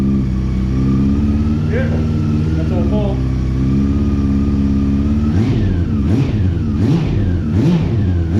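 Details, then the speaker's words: 2009 Honda CB400 V-Tec four-cylinder, sat for years, run after fuel pump replacement; even burble holds steady at idle, then picks up cleanly through several quick revs with no misses; runs smooth on all four, healthy. "so the fact that it ran on all four and ran smooth and beautiful just makes me really happy"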